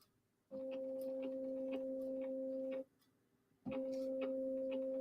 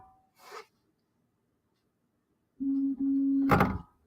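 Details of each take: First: SainSmart Infi-20 belt 3D printer, X axis commanded to move: smooth clean steady stepper hum in two moves, axis moving normally, while the Y axis belt elsewhere slips. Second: Refurbished SainSmart Infi-20 belt 3D printer, Y axis commanded 10 mm: steady stepper hum then short scrape while the axis does not move; owner suspects loose, slipping belt.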